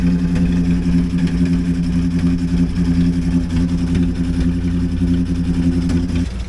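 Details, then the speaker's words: Engine idling with a steady drone and a faint rapid picking tick; owner says something is really wrong with it, cause unknown. "I'll put a little clip in here. You can see how bad it sounds. Sounds like shit."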